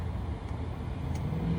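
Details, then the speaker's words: HCalory TB2 Toolbox 2 diesel heater, power being raised with the remote during first run: steady low rumble and fan rush swelling slightly as it goes higher and hotter, no misfire or rattle; normal high-power running. "All right, it's going up higher, and hotter."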